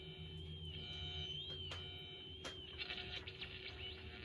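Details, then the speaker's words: Echophone Commercial EC-1 tube radio, restored after a shorted plate was removed from the main tuning capacitor, connected to an antenna: a thin wavering whistle with clicks and no audio. Interference back-feeding through the AC line suspected. "didn't hear that kind of like an oscillating type noise but we're not really detecting any audio"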